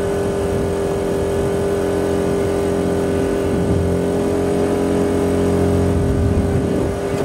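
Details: Quieted diesel generator in a bus RV conversion, on external fuel, loaded up beside the old inverter generator: steady drone with constant hum and even low rumble, no knocks or hunting; barely changes under load; normal running.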